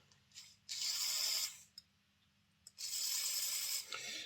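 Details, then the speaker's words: Small model-locomotive motor (saddle tank) after being wedged in place with a zip tie to stop it shifting. Two short runs of high, even whirring with clean starts and stops and no grinding. The motor runs much better. "That sounds good actually. We'll go and try this in the layout. Yeah, that's definitely running an awful lot better."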